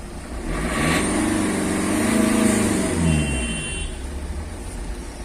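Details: Ford Figo with a no-start and ignition fuse blowing from a wiring short circuit, after the wiring repair: catches, revs briefly and settles to a steady idle with no stumbling; starts and runs normally.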